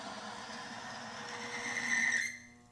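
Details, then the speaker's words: Timken bearing friction test of a synthetic power steering fluid with about 5% anti-wear additive: a thin high squeal builds louder over two seconds under load, then cuts off when the load is released; the lubricant is failing. "Well, as you can see, it wasn't doing that well."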